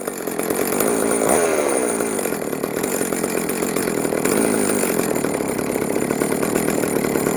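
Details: Vintage Jonsereds 70E two-stroke chainsaw, first run after major cleaning and fitting an unknown cooling fan; smoking from oil put down the cylinder; steady rasping buzz rising and settling back toward idle, even and healthy. Normal running.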